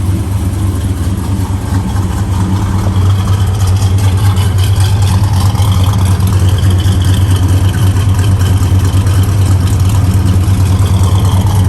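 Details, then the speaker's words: 1964 Chevelle Malibu, 350 small-block V8 with Edelbrock 4-barrel and 4-speed manual: a deep, steady, even idle burble with no misses, knocks or ticks. Alternator, belts and hoses are good, and it runs smoothly. "Alternator's good, all your belts and hoses are good. Runs good."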